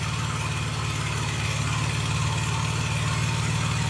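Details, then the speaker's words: Honda EB6500 generator, after carburetor rebuild, valve lash and ignition adjustment following years of storage, on auto throttle settling to idle: smooth, even low idle with a steady firing beat and no misses, knocks or surging; normal. "Let's see if she just runs. down to idle. Sounds good."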